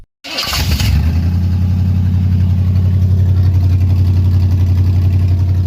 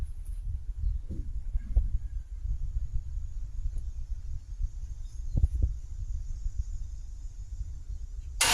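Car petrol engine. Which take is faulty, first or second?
second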